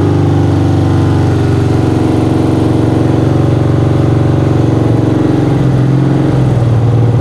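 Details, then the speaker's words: 1975 BMW R90 motorcycle after 12 years stored, started immediately after battery recharge: strong, steady, even twin beat, no misfire, knock or rattle; runs cleanly, some smoke of unknown source. "alors évidemment j'ai dit je vais recharger la batterie je coupe la vidéo et puis j'ai dit remets un coup ça démarre tout de suite c'est dingue"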